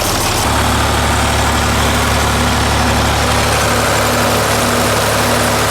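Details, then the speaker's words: 931 (930 series, 8-speed) six-cylinder diesel tractor idling after oil change to 15W40 diesel oil: steady low rumble without knocks; running quieter, which the owner suspects comes from the thicker new oil, with oil pressure down about 5 psi. "So hopefully, shoot, that's probably something that's contributing to how much quieter it's running."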